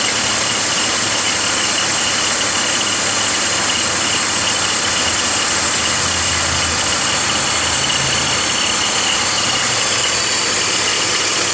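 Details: BMW 325i E46 petrol engine at idle with a busy metallic rattle from the belt drive, caused by a worn idler (deflection) pulley.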